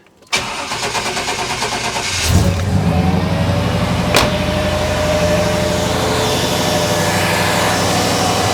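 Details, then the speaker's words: Chevy/GMC OBS truck, engine just started cold: loud steady rush of air over the idle as the fan pulls hard across the radiator; fan clutch engaged when cold, before replacement. "all right so the fan is pulling uh quite a quite a bit of air across the radiator right now with the engine being cold that's not really what you want uh unless your air conditioning were running"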